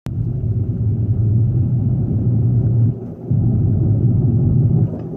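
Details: Infiniti G37 driving, cabin sound; deep steady droning rumble from a bad wheel bearing.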